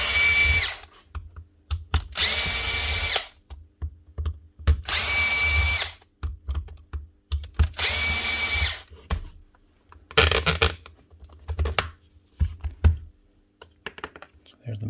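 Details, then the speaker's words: Power tool with stripped gears, head removed so the bare motor runs on its own: four short, steady high-pitched whirring runs with no grinding or rattle; the motor runs normally and the noise came from the gears. "just take off this head first so we're going to run the motor on its own"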